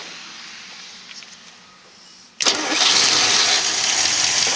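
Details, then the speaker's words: 1964 Studebaker Daytona after tune-up (idle set 600, dwell 30, timing and mixture adjusted): near silence, then it catches at once and settles into a strong, even run with little smoke; starts quick, about 19.5 in vacuum. "It's starting up quick. It's not smoking a whole lot."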